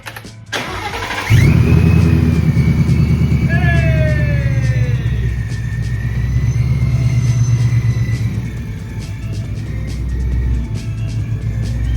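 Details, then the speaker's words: Ford Mustang 5.0 Coyote V8 at first start after a supercharger kit install: engine catches into a deep burble with a clear high whine rising and falling with revs; normal, healthy supercharger whine. "hear that whine. I can hear that supercharger whine."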